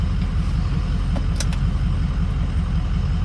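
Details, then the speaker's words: Ford F350 6.0 Powerstroke with Smeding non-VGT drop-in turbo, driving slowly before a four-wheel-drive pull: deep steady diesel drone with no 6.0 whistle; non-VGT turbo only whistles at high RPM, normal. "Oh, one of the disappointing factors of a non-VGT is no whistle, no 6.0 whistle, which is okay. I knew that was gonna happen."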